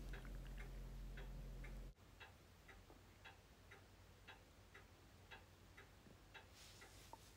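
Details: Norton Nemesis 1500cc fuel-injected V8 rebuilt engine on first bench fire-up, with fuel put into the inlet ports: a short burst of even, low firing for about two seconds before cutting out; catches and runs cleanly.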